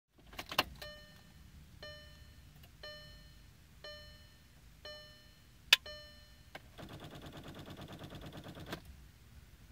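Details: 2014 VW Passat won't start: a chime repeats, then fast clicking and buzzing chatter with no crank while the clock runs backwards; same when jump-started. Cause was a failed battery, and a new battery fixed it.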